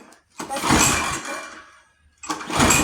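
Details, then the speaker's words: Free junk pull-start lawn mower with starting fluid sprayed in: two quick pull bursts, turns over but won't catch. Owner feels little compression; spark not yet checked, plug found pretty wet. "Still no. Still no. All right. Well, let's. Doesn't feel like it's got a lot of compression."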